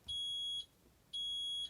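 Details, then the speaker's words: Fisher & Paykel Smart Drive MW511 washing machine gives two long, piercing high-pitched tones, about half a second each. This is a fault-code alarm meaning something is actually wrong with the machine, not a user warning like a tap turned off. "But we're talking about the fault codes, which is when it makes a long piercing sound like"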